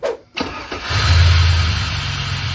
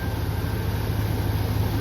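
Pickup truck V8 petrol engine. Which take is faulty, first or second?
first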